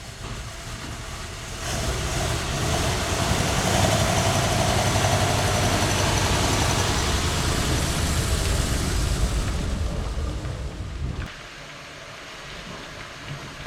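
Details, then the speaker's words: 1947 Ford Coupe, flathead V8 carbureted barn find abandoned 15 years with stuck valves, revs with loud carburetor rush and ragged uneven edge, then drops to soft idle; rough under throttle, vacuum leak suspected. "Something don't seem happy."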